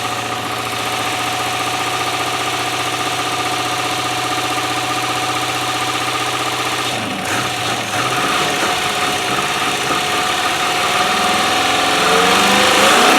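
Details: 1997 Land Rover Discovery 1 started on a temporary battery, with a leaking front oil seal and oil topped up: steady, even idle, then smooth rev climbs with no knocking or misfire. Normal idle and rev.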